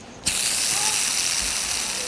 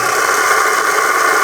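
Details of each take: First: Bronson Raw Jamie Foy skateboard bearings, rust on the outside, before cleaning with Windex: a spun wheel gives a high, steady whir with a gritty hiss underneath. Dirt in the bearings; rough bearing noise. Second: Bronson Raw Jamie Foy skateboard bearings after cleaning with Windex, spun on the wheel: an even, airy whirr that holds steady with no gritty or rusty rasp. Smooth bearing spin, much improved.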